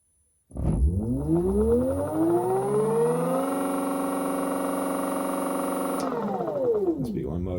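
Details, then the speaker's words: VESC controller FOC motor detection on a B1 e-bike motor: whine sweeps up in pitch, holds a few seconds, then falls away; normal detection tone while processing. "So now it's processing. You hear that little noise?"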